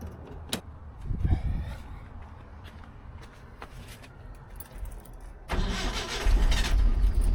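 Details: 1971 Datsun 521 after oil pan gasket replacement with fresh Castrol GTX 10W-30 and a WIX filter, started to warm the oil: the starter cranks briefly, then the engine catches and settles into a steady, even low idle with no knocks; healthy.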